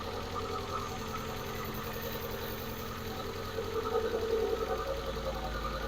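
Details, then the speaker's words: Manual-swapped Mk4 on first start, started by jumping the starter since ignition isn't powering it: fast regular ticking about two to three per second over a rough idle, growing louder; loud top end with plenty of oil, cause unconfirmed; owner also suspects exhaust leak. "but I will say the top end was very loud very loud"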